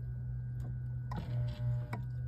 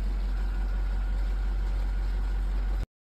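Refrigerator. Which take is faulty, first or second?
first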